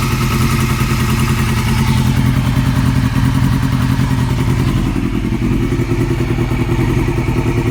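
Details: 2002 Yamaha R6 four-cylinder idling steadily with a light, quick ticking from the cam area. It was present before purchase; cam tensioner already swapped for an APE manual one. Owner hopes it is not the valves; cause unconfirmed.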